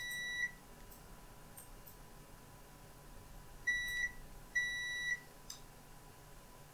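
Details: Three clean high beeps over a quiet room mark good continuity on display-connector pins of an oven-reflowed Lenovo ThinkPad X201 motherboard being checked for a backlight power fault.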